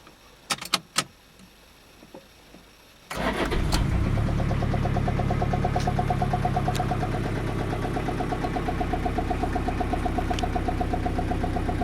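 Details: Toyota Emina/Estima 3C-TE diesel, heard inside the cabin: after cranking it catches, then a steady ticking knock about four a second over idle from a non-original fuel line slapping the engine compartment cover.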